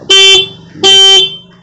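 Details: TVS Jupiter scooter horn after repair of a horn that would not sound: two clear, loud quarter-second honks with a steady high tone, no rattle or buzz; horn now healthy.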